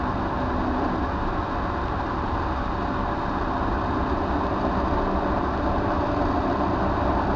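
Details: Older Trane XV90 two-stage furnace with its ECM blower ramping up in speed: a loud, rough, steady rushing roar with no clear rhythm; noisy blower motor.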